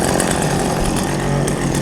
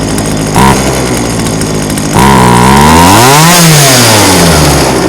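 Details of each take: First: Old chainsaw unused about five years, warm: two-stroke idles smoothly and evenly with steady low buzz, no bogging or surging. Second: Old chainsaw unused about five years, being tuned at max carburetor adjustment: idles, then pitch climbs sluggishly and sags on throttle, bogging from incorrect mixture, then dies.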